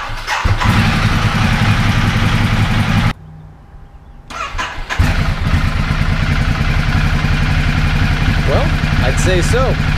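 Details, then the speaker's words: 2010 Ducati Multistrada 1200, previously slow to start, after fitting new high-capacity battery and starter cables: brisk even starter churn catches quickly into a steady twin idle in about half the time, cranking faster; normal start. "start it up probably in half the time and the crank over speeds a little bit faster so that is a result"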